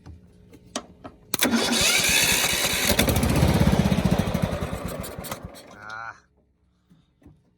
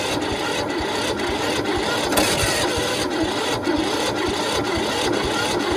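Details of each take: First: Toro Z4200 TimeCutter 54-inch zero turn mower, flooded in Hurricane Irma, parked about 2 years, after fuel and off-camera fix, started on key: a few quiet clicks, then catches and fires at steady four beats a second; starts normally. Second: Toro Z4200 TimeCutter 54-inch zero turn mower, flooded in Hurricane Irma, parked about 2 years, cranked via screwdriver across bad solenoid with choke on: even rhythmic cranking, about two compression pulses per second, no firing; no start.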